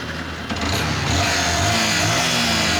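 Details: Yamaha R15 V1 engine revving with a harsh, raspy mechanical clatter over the exhaust. Previous shops' repairs failed to fix the engine problem; cause not pinned down. Finding: abnormal engine noise.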